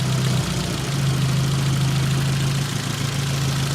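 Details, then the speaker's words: Nissan 200SX S12 dual-coil engine running on exhaust coil only: steady low idle with slight rise and fall, no stumbles or stutter; normal idle, runs better on exhaust side than intake. "yeah it goes down but do we get the [Music] stutter not as far as I can tell"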